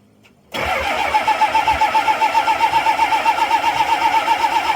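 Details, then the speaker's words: 7.3 IDI diesel, glow plugs deliberately disabled; starter cranks steadily at about four compression strokes a second, never catches; no-start without glow plug heat. "that was our our 7.3 IDI Diesel and what I did is I disabled the glow plugs so it's trying to crank well it is cranking and it wants to start but there's no glow plug to produce the heat in there"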